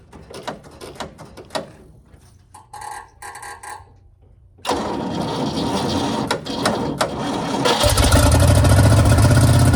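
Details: Custom cabover with a V8 started on a jump box, with a custom fuel cell and fuel poured down the carburetor, only one muffler fitted: some cranking and clatter, then it catches and settles into a loud, even, deep idle; it runs healthy.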